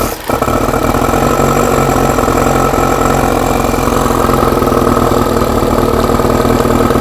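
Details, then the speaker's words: Four-cylinder carbureted bike, first start after fuel pump primed with no air restriction fitted, choke used: catches almost at once, steady even idle, no stumbling or popping; works, doesn't smell as bad; normal start and idle. "yeah but it works it doesn't smell as bad either"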